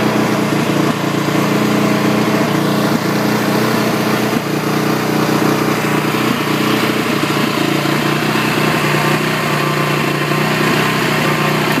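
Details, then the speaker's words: 2008 Honda TRX450ER single-cylinder ATV: an uneven idle with a busy metallic clatter over the exhaust beat; it starts cold but idles high even with the choke off, and the owner suspects something slipping when starting. "That's a rough shot. No, it's rough everything."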